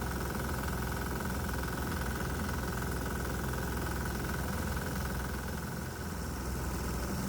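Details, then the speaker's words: 196 cc 3 hp diesel engine fed methanol fumes with the vaporizers off; RPM rises. A harsh rattling knock, two or three a second, rides over the fast run. The methanol fumes cause knocking severe enough that the engine may be destroyed. "Without the vaporizers active, well, the fumes from the bug juice have caused an increase in RPMs, which means more power. But I'm afraid the knocking sound I'm hearing may destroy the engine."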